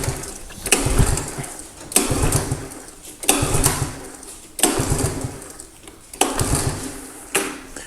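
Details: 1985 Honda ATC110 three-wheeler, long abandoned, fresh fuel added, choked; repeated slow cranking bursts about every second and a half, each dying without catching; carb may need cleaning, throttle nearly locked up, no inline filter.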